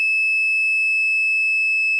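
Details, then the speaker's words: Removed starter solenoid that clicked and wouldn't start, tested with a multimeter: continuous beep from positive trigger to negative shows continuity, an internal short. The solenoid also gets very hot. "Oh, no. No, there's no resistance. So, there's continuity between the negative and the"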